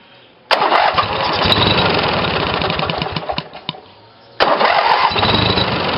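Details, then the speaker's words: Briggs & Stratton 18 hp twin vertical-shaft engine (model 822707) on new battery ignition, two GM LS2 coils triggered by failed magneto; fires at once, runs evenly, stops, restarts cleanly; normal starting and running, ignition working. "so so it seems like the engine starts fine and and runs fine"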